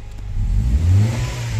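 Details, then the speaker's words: Honda Civic VTi VTEC automatic with idle dropping on aircon, after adjusting the idle air screw, aircon off: revved, then settles back to an even idle without hunting or bouncing; normal idle return. "3.5. Walang bounce. Ayun, walang bounce."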